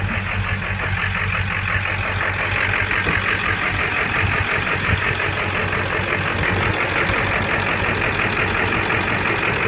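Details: 2000 Ford F350 diesel with 200/80 hybrid injectors: the idle has an uneven, lumpy beat and loping clatter instead of a steady even tick; rough idle, cause unknown.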